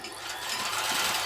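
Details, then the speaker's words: Janome Combi sewing machine/serger: fast, busy mechanical chatter, slightly uneven; improved after removing a cover rubbing the hand wheel, but the motor drive belt is still too loose and struggling to drive. "it's definitely better but i still think that belt's too loose"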